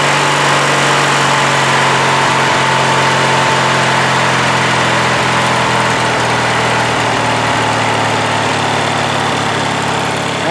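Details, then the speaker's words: Craftsman LT1000 with Briggs 19.5 HP opposed twin, after draining water-contaminated gas, new fuel filter and blowing out the carb: steady, even low idle with smooth pulse, no misses or surging; runs clean. "so that's it engines running now runs pretty well this is low idle right now I mean it's fast but it's not like really fast you know"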